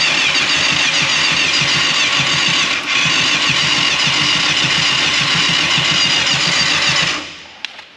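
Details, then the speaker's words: 1989 Yamaha FZR600 Genesis, unstarted over four years, old fuel smelling like varnish, hand held over an opening for back pressure: seven seconds of steady starter churning about four beats a second, never firing; crank no start, stale fuel suspected. "i can smell the old fuel yeah it feels pretty bad it's like varnish so i actually don't think it's going to start"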